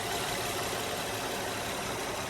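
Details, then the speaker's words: Honda Pilot J35 3.5 V6 with about 207,000 miles, idling after timing belt replacement and cam repair. Smooth, even idle with faint injector tick and no knocks or rattles. Normal running after the repair. "Here we are, all put back together again, and sounding just like it's supposed to sound. You can hear a little bit of injector tick, but it is nice and quiet."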